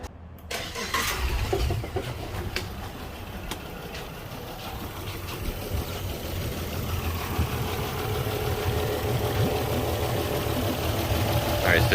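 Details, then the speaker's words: Yamaha outboard on a Pursuit 385 boat, running poorly. After the coil and plug were swapped between cylinders 3 and 5, it cranks and settles into an uneven, lumpy misfiring idle. Plug and coil are ruled out, and the injector is suspected next. "still running rough now let's pull our number three"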